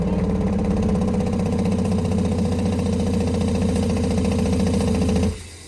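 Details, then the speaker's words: Newly installed Remco Aqua-Jet RV water pump, also leaking: loud, coarse droning buzz with a rattly edge for about five seconds, then cuts off sharply as it cycles; excessively noisy pump. "Wow. It's cycling on and off, but man, this thing is noisy as hell."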